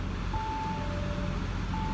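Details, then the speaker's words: Audi Q7 TDI diesel, cold: low, even idle rumble with only faint distant diesel clatter, which disappears when warm; normal cold idle. "O motor não faz barulho, é um negócio impressionante. Vocês estão ouvindo um gre-gre-gre-gre-gre assim bem de longe, porque tá frio o carro."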